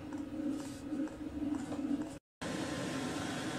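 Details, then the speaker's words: Chinese diesel heater ramped to a 35°C target so it runs at full power for several minutes to burn out soot before shutdown; soft steady fan rush and burner hum with no knocks or surging, normal full-power running. "I've done that just so the machine kicks up to full power again so I can burn out all the crap and soot before I turn it off"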